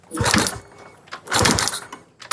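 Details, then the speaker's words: Honda Wave 125i that won't start, ignition coil spark test while cranking: sharp crisp repeated snapping bursts, strong and clean; coil sparking well, though fuel pump pressure only 1 bar. "มาอย่างแรกเราจะเช็คคอยก่อนนะครับดูกระแสไฟคอยก่อนว่าออกดีมยนะอ่า"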